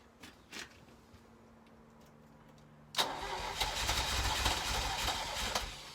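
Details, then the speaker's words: 1983 Ferrari 308 rebuild, battery flat after the charger was switched off, fresh fuel added: quiet clicks, then laboured cranking at about three to four turns a second that never catches. It is turning too slowly; more battery power is needed. "Okay, need more juice. Need more juice, need more juice, need more juice. Getting there though."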